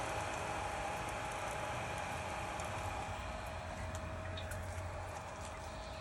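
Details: Spike Flow pump after the DIY noise fix, magnet pushed flush with no gap and Allen screw retightened; quiet, even hum with a faint steady tone and light water gurgle, no rubbing or rattle; running normally.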